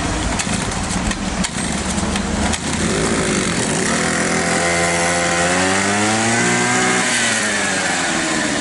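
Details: Small two-stroke grass trimmer after replacing the ignition module and adjusting its gap to the flywheel magnet: catches after some clatter, revs up, then settles to a clean, steady buzz, firing evenly; normal running after repair.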